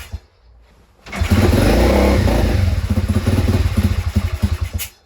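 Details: Written-off pit bike after repair, kick-started indoors; repeated kick-over bursts, each a quick chuffing whump that dies without catching, cranks but won't start. It later started after the idle screw was adjusted.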